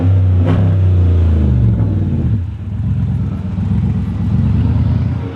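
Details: Chrysler 300C Hemi with a broken flex pipe: deep, loud, raw rumble that swells as revs rise, lacking a clean exhaust note; exhaust leak at the broken flex pipe.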